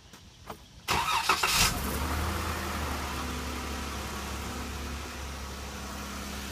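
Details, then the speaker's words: 2014 Jeep Pentastar V6 after the dealer replaced rocker arms and lifters for a ticking complaint; quieter but a faint quick tick, about three a second, remains at idle, similar to a dealer 2014 Jeep. "does have a slight tick you really can't even tell much of a difference the guy at Big O Dodge says oh sounds like they're both ticking"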